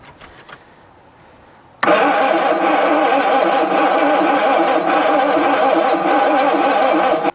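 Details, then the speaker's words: 1966 Ford Zodiac Mark III abandoned for decades, with oil added to the cylinders for compression: steady fast cranking with an uneven note and no catch. It won't start; low compression. "just trying to fire it one more time just see if we've got just enough compression just to Roar it into life"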